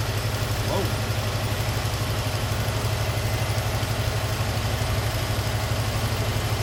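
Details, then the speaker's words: 1978 Chevy C10 straight-six, automatic, single-barrel carb: after adjusting the tiny bottom screw the owner believes is the idle adjustment, an even idle with a quick firing beat, about four pulses a second, ticks over too fast; idle set high. "Alright, y'all, I think she's still idled up kind of high. I believe that is the idle adjustment screw."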